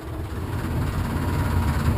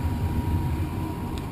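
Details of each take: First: Furnace blower running: heavy low rumble with uneven throbbing rattle, indicating an imbalanced squirrel-cage blower wheel. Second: Furnace blower motor running after cleaning a dirty squirrel cage that had caused an imbalance rattle: a steady, smooth low hum with no rattle. Repair confirmed.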